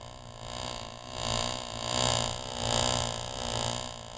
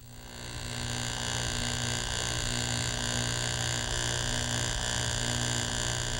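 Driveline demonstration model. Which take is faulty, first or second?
first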